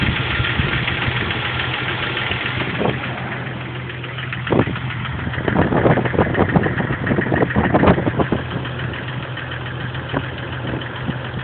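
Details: Jeep TJ 4.0 inline-six petrol at idle on cold start: light uneven ticking over a low hum that goes away once fully warm. It has done this unchanged for a year; oil pressure is good. Cause unknown.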